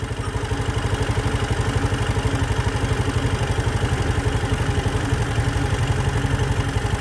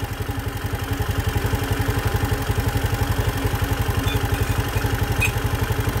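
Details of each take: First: Fuel-injected vehicle at about 62,000 km, after its heavily carboned throttle body was cleaned and the idle screw turned clockwise to lower a high idle: slow, heavy, slightly uneven putting at about four beats a second, near stalling; idle set too low. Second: Engine at 62,000 km after throttle body carbon cleaning, idle screw turned down afterward without diagnostic tools: even, steady putter at low idle with regular firing pulses and no misses; normal idle.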